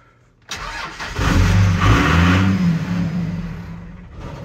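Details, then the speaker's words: 2001 Cummins diesel manual Ram salvage truck cranks and catches quickly, revs briefly, then dies within about three seconds; gauge shows half a tank, owner suspects it is out of diesel or the alarm is cutting it. "that's weird i can rev it but it just dies"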